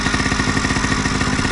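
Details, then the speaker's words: Homebuilt prototype scooter/moped small two-stroke, fuelled from a small temporary tank via hose after a wiring-harness fault was sorted, now starts; fast, even putter about sixteen beats a second with no misses; running normally. "Bon, en même temps je suis branché en direct, mais voilà, ça démarre"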